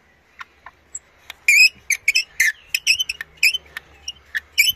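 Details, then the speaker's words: Wrecked Honda CD175 engine during strip-down, block just removed, rod worked by hand: sharp high squeals in irregular bursts; seized piston and conrod squeak. "you ever heard pistons make that sound before mucky fingers again but anyway yeah this oops this uh conrod is is the seas thing now"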